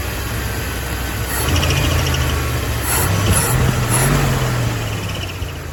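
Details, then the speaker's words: 1975 Ford F250 390 FE V8, formerly seized motor freed up, on a replacement distributor cap; low steady idle with faint unevenness, a slight shake owner expects to clear with more running, running better and better, may be slightly out of time. "She is running good now. She got a little bit of a shake to her, but I imagine It's going to take a little bit more running for it to clear up 100%, but it runs better and better all the time."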